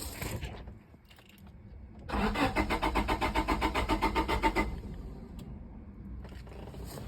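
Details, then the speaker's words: 1998 Honda Civic: the starter spins the engine in a steady rapid churn with no catch; cranks but won't start, traced to a bad ECU ground wire, and it ran once the ground was fixed. "It's got a ground issue. Got the injectors. Injectors good now."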